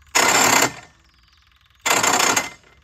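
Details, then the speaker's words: Case 1816C skid steer after adding oil: two harsh half-second grinding bursts, engine never catches; starter pinion clashing with flywheel teeth because the newly fitted starter was misadjusted. "the teeth aren't exactly lining up so it's not sounding too hot um I guess I didn't have it adjusted right when I put the starter on"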